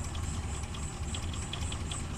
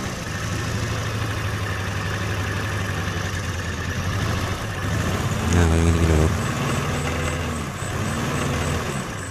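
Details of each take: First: Suzuki Carry Extra petrol engine after replacing one dead spark plug that caused shaking, misfire and high fuel use: steady even low rumble, stable idle without stumble; smooth idle. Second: Suzuki Carry Extra petrol engine shaking and using excess fuel: low uneven stumbling idle; spark check showed points fine but one dead spark plug; engine misfire at idle.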